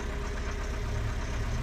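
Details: 1985 Toyota 22RE four-cylinder at cold-start idle: a loose, uneven low rattle over the engine note. The timing chain was already replaced but has slack, and the noise worsens as the engine warms. Suspected loose timing chain, unconfirmed.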